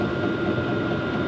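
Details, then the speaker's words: New Vevor diesel heater on maximum, about 5 minutes running, inside temperature about 11 °C: even fan rush with a steady mid-pitched hum, no rattles or surging; pump ticking slows at lower heat; running normally. "Now that is on maximum. When I decrease the heat, that ticking sound from the fuel pump is going to decrease as well."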